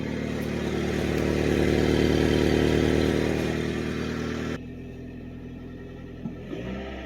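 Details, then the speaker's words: Mitsubishi Pajero Mini turbo, five-speed, before exhaust replacement: revving with raspy, chuffing note that cuts off abruptly; rusted exhaust leaking, holed catalytic converter and blown-out rear resonator, exhaust possibly partly plugged; exhaust leak. "but the converter I had a hole in it as one of the leaks I was hearing"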